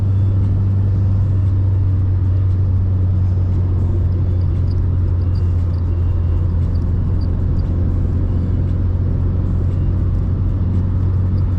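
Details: Mercedes 190E on a test drive after KE-Jetronic repair: a deep, even rumble on the move with no stumbles, surges or misses; the engine runs normally.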